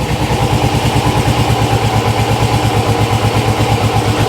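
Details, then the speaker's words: GS motorcycle, clutch held in at idle: lumpy off-beat stumble, reluctant to rev, weak on the left cylinder; owner suspects fuel and may remove the carbs. "You just hear it, can't you? Bup, bup, bup, bup, bup. Yeah, it's just a bit weak on the left cylinder. It's more than likely fuel."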